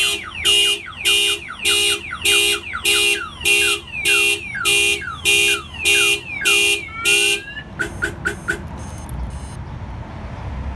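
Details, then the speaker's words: 2001 Toyota Camry with Viper 5806V one-mile two-way remote start alarm: loud rising-and-falling siren chirps, about a dozen bursts in seven seconds, then stops, with lights flashing; alarm tripped and working. "alarm is extremely loud so you weren't able to hear the remote beeping but you were able to see the flashing light so it flashes the lights and it beeps at you to let you know that the alarm system was tripped"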